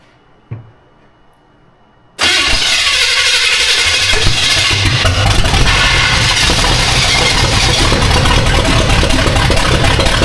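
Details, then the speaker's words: Austin's Buick V8 first fire-up after swapping in a distributor: starter catches and settles into a fairly steady, slightly lumpy idle; runs pretty well, timing may still need adjusting. "Actually pretty not bad. I don't know if we need timing more somewhere else."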